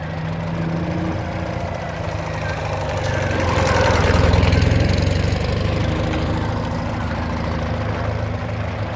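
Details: 2009 Ural Sahara Limited Edition 2WD sidecar, carbureted twin, under 9,000 km, kick-started without enrichment shortly after running, chilly day: even lumpy idle pulsing about 200 times a minute, short rev swell mid-clip, then settling smoothly; healthy.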